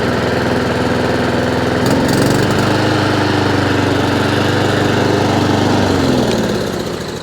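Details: Honda IZY 19-inch petrol lawnmower after carburettor fuel-leak repair and service, revs raised slightly via governor arm; picks up smoothly to steady, even speed without hunting, then eases back down: normal running.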